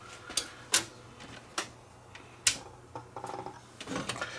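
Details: Sony VO-5800 3/4-inch U-matic VTR, tape inserted at power-up: scattered clicks and short whirr but tape never loads or drops; elevator not operating, switch or elevator suspected, loading belt slipping.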